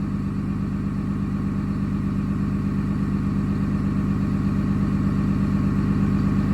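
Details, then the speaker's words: Early 2007 Ram 3500 5.9 Cummins diesel, G56, 326,000 miles, cold at 31°F, on automatic factory high idle during warm-up, EGT around 650°F; raised, even idle with steady clatter, no misses or hunting, healthy. "650 degrees right there. And we're still just at the automatic factory high idle and 31 degrees."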